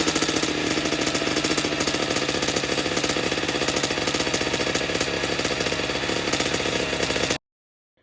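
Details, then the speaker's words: 2009 Kawasaki KX85 two-stroke with needle clip raised from third to second from top: rapid uneven popping at three to four a second, never catching. Won't start; owner suspects an air leak, as it ran with the air screw nearly closed. "So we're gonna see if that has any bearing on this thing running. Now it doesn't want to start."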